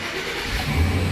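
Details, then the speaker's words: Chevy with erratic gauges and a no-start, after fitting a new battery cable: the engine catches straight away and settles into a steady, even low idle with no stumble or misfire; a normal start. "more gay just playing around and now start right up"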